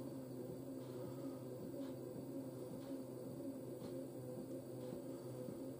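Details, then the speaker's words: Washer dryer on its final spin: an even low hum with a steady motor tone and a soft once-a-second swish. The drum spins smoothly; shock absorbers were heard knocking just before. "drum that sounds smooth i mean it will get smoother as we go along"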